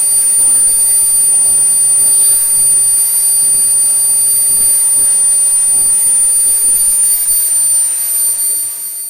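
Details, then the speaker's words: SWIWIN SW220B micro jet turbine on test stand, second run after adjustments; smooth steady high-pitched whistle over even air rush holding one pitch, idling near 38,000 rpm, about 2.5–2.6 lb idle thrust; normal turbine idle. "all right guys you'll notice that we're almost at 38 000 idle and we've got a idle thrust of about 2.5 2.6 pounds"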